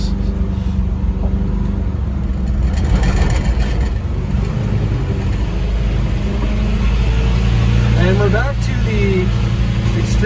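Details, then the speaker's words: 1972 Volkswagen Westfalia bus, after a short drive: engine roaring at high, steady revs that won't drop back; uncontrolled high revs, not much smoke. "it runs it revs high it's not blowing a lot of smoke that's good"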